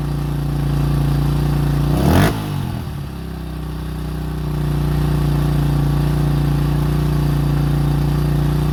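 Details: 2005 Honda CRF150F after valve adjustment and carburetor tune-up fixing a no-start and high idle: small single runs a steady low thump, takes a quick throttle blip, then settles to an even idle; running properly.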